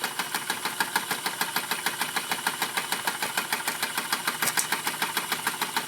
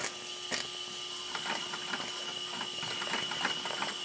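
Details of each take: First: RETROL SE-02 double-acting horizontal mill steam engine with generator, running while warming up: crisp, even exhaust chuffs at about three per second, steady rhythm with no knocks. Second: RETROL SE-02 double-acting horizontal mill steam engine with generator, reversed with the Stevenson valve lever: quick, light clicking, a bit slow and uneven; it runs slower in reverse, maybe not hot enough yet.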